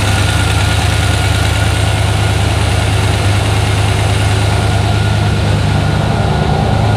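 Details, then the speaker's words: Turbo junkyard-rebuilt 5.3 LS V8 in S-10, first startup after rebuild replacing a bent gen 4 rod (tick suspected from piston hitting crank); deep even idle, no ticking; lifters noisy at first then quieted, owner suspects slight cold piston slap, fine warm; normal idle. "i also think it might have a little bit of like piston slap when it's cold because of the aluminum block and stuff but uh once it got warm it seemed okay"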